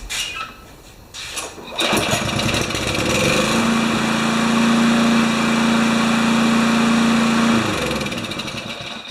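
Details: Craftsman Kohler mower, hot engine, new shutoff cable fitted, overfilled with oil: small single-cylinder engine catches and runs smooth and even at a steady pitch before winding down. Normal running.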